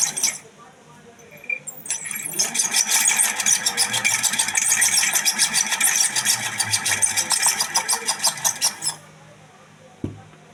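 A running ceiling fan gives a harsh, rapid squeaking rattle, about three a second, from a dry, worn bearing.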